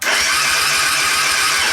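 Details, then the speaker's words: Suzuki Intruder 125 cranking with a jumper wire from battery to ignition module, about 11.3 V there: starter spins with steady, even pulses but the engine never catches; no start from low voltage at the ignition module, relay fix planned. "i spróbujemy teraz zakręcić tego nie będę podłączał znowu nie odpalił"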